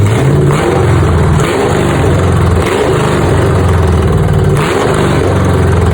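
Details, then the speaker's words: V8 car after fitting new long-tube headers replacing old rusted ones: deep, loud, even burble with steady low pulses and light revs, no knocks or misses; runs way healthier, owner suspects a driver-side cap had been clogging. "Um, the car feels and sounds like it's running way healthier."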